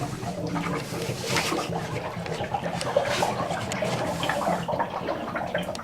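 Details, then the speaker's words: Cabin being winterized, propane hot water heater tank draining to the outside after its drain valve handle is turned in line: irregular water gurgling and splashing with no machine noise; normal tank draining. "You can hear the water gurgling out. And when all the water drains out, you got the place drained."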